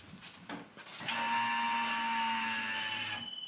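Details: 1977 Camaro Z28, not started in a year, before a cold start: a steady high whine switches on for about two seconds then cuts off cleanly, the fuel pump priming normally.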